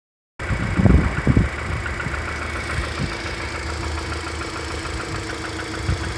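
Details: Subaru Impreza after an engine rebuild, at idle: loose, uneven knock about twice a second that becomes inaudible once throttle is applied.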